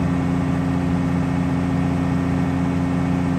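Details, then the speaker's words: New 4.7 stroker crate engine replacing a hydrolocked 4.0, first start, fast idle during cam break-in with 8 minutes left: smooth, even low drone with no knocks or ticks, normal. "Got 8 minutes left on the cam brake in. Boy, that thing sounds smooth."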